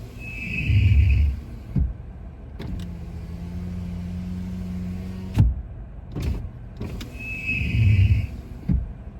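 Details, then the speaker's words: 2025 Toyota Tacoma after overnight 26°F hard freeze, cold start: driver's-side power window lowering gives a steady low motor drone with faint strained groan for about three seconds; passenger side fine; owner wonders if it needs warming up; cause undetermined. "that doesn't sound good um maybe it's just got to warm up a little bit I don't know but that's a weird sound I wonder if the passenger side does it let's see of course not it's only the driver's side"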